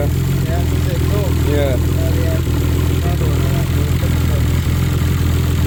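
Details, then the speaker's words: Nissan R33 Skyline with freshly built forged RB25DET, first start after engine install, slight smoke: lumpy uneven idle with stumbling beats and raspy puffing; misfire plus bad downpipe exhaust leak, owner hopes misfire stops once run in. "it's got an exhaust leak from the downpipe which we need to tighten up because it's quite bad and uh hopefully when it runs in a bit more it'll stop misfiring and stuff in there getting all around everywhere"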